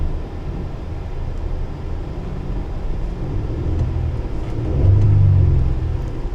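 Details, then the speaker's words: Vehicle idling with AC on, low rumble that swells only slightly when throttle is blipped, revving sluggishly and bogging despite plenty of fuel; possible misfire suspected. "It's not revving very well. AC is ice cold. We can turn that off. It doesn't rev well."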